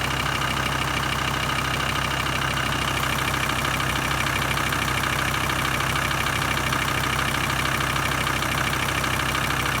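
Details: VW T4 2.5 TDI after new fuel sender unit, fuel filter and engine rebuild, in neutral: even, regular diesel clatter at steady idle, about three beats a second, no stumbling or hunting; normal idle.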